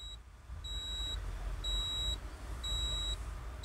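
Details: Tata Signa 3718 TK BS4 truck, Cummins ISB 5.9 diesel; driver reports high temperature, gauge needle climbs to maximum with red light at key-on, circuit suspected shorted, sensor next. Half-second high beeps once a second over low diesel rumble. Overheat warning buzzer, faulty instrument cluster.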